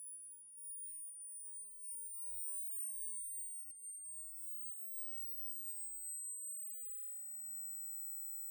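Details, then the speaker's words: Large homemade Joule-Thief-style coil circuit charging a capacitor bank: once cap voltage exceeds battery voltage, a thin, very high steady whistle sinking slightly in pitch as the coil rings normally. "After it gets above the battery voltage, you'll hear it start to ring. There's the ring."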